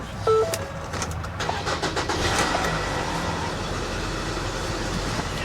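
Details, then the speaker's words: Salvage-auction car with 57,975 miles, jump-started from a booster pack: brief crank, then it catches at once and settles into a steady, even run. Normal start; it goes into reverse and drive without issue. "fired right up yeah this thing only has 50 000 miles on the odometer guys"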